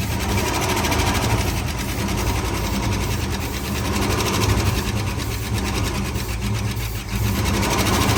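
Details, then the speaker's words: 1970 Ford Bronco after 8 years sitting, at idle just after its first restart: fast, light ticking over a steady, slightly lumpy V8 idle; the tick's source isn't clear yet. "Sounds pretty good. Hear a little bit of ticking."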